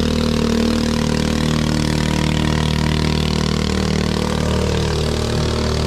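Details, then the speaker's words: 212cc 6.5hp Honda-clone four-stroke powering homemade jet boat unit on river test: revs out with steady buzz but stumbles and splutters under load; engine worn, won't plane, gearing insufficient. "because as you can hear on that one i was spluttering and carrying on it's it's just done it's done stash that mode hasn't it"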